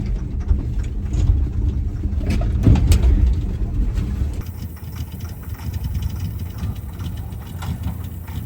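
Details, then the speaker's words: 1989 Ford F150 302 V8, parked for years, floored: an uneven rumble surging and sagging, stumbling under full throttle; suspected too little ignition timing, and adding timing helped. "Floor it. What does it do? Floor it. It doesn't like that timing."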